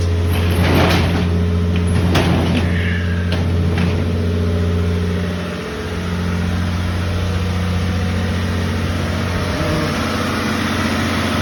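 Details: 1979 Toyota Cressida, carbureted, cold just-started idle: low slightly uneven beat with occasional stumble and sag, a miss at idle; owner notes a leak causing a noise and worn vacuum hoses; cause suspected, not confirmed.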